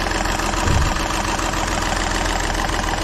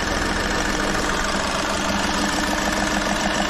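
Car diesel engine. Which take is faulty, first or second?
first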